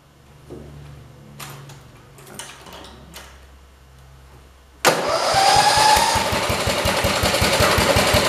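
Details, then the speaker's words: 1968 112 tractor after installing a starter button, because the key switch won't start it: engine catches at once and settles into a fast, steady, even firing beat with no misses. "you guys ready to go on in and see if this thing will run"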